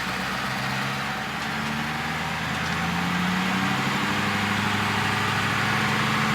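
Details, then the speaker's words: Ford F-450 diesel after being misfuelled with gasoline, fuel replaced and injector cleaner added: steady, even idle with no misses or knocks once injectors cleared; smooth, normal idle. "We're smooth. That's smooth as shit."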